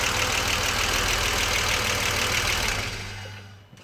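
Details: BMW 635CSi E24 under investigation for rough idle, with the air hose refitted to the throttle body, warm at normal temperature: even, steady idle with no misses, then switched off and winding down smoothly. Sounds healthy.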